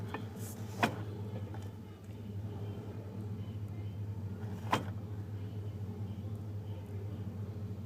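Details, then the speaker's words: 1991 Chevy 350 5.7 V8 with throttle body injection, warm: low, uneven idle that sags once, nearly stalling, in gear; rough only once it warms up, smooth in neutral; cause unknown. "I don't know why it's idling rough the 91 350 throttle body injection put it back in neutral it's great"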